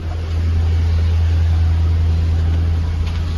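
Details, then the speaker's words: Jaguar XK8 V8 sat about 7 years, running on its original 2014 petrol with fresh oil and a new Lucas fuel pump: deep, steady burble with an even rhythm and no knocking or ticking; normal idle. "but she sounds I don't know how it comes across in the video but it sounds great there's no knocking there's no ticking"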